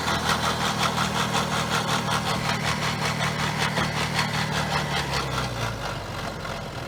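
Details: BMW X5 E70 with N57 diesel at idle: steady rhythmic ticking rattle over low hum from a bad, worn timing chain, checked with timing chain tools.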